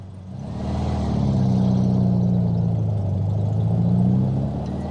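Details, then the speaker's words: 1967 VW Beetle flat-four after swapped intake manifold, carburetor, distributor (009 without vacuum advance replaced) and valve adjustment, warmed up on drive: hum rises smoothly with throttle and eases off, no stumble or misfire; still lacks a little power. "It's not even, no stumble, no nothing. I think I'm going to take it out for a spin. Well, it seems to be running good."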